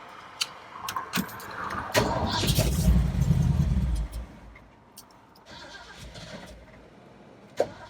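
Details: Truck after a carburetor rebuild, mixture screws out one and a half turns, running from a temporary fuel tank on the stock fuel pump, in neutral: key jingle, a couple of seconds of cranking and catch, then a low, fairly even idle; healthy start, choke and mixture still to adjust.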